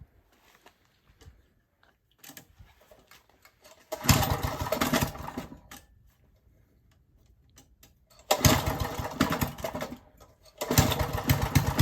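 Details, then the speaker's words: Old Briggs & Stratton engine after swapping in a coil from another old Briggs & Stratton, started in cold snowy weather: catches and runs in uneven surging bursts, needs choke movement to keep running. "It starts. It just needs some choke movement to keep it running."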